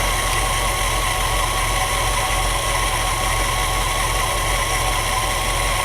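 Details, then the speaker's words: 1963 Ford Galaxie V8 with new distributor, idle just adjusted: steady even running that won't drop back to idle; throttle linkage not fully returning because the return spring is too weak. "well that's interesting the uh throttle linkages well I'm getting rid of this carburetor anyway it's not going all the way back to idle"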